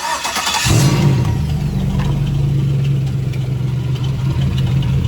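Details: 2006 Chevrolet Silverado engine cranked and idled from underneath the truck, torque converter disconnected from flexplate, after starter replacement: fast, light metallic rattle over idle; owner suspects a broken flexplate.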